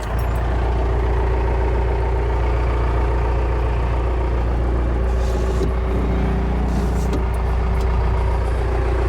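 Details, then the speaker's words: Ford truck with a Cummins diesel conversion and 5-speed swap, cold idle heard from inside the cab after new insulation: a steady, even low rumble with no knocks or rattles. Healthy, and much quieter in the cab. "Yeah, I just hear the truck on the outside. I don't hear it through in here anymore."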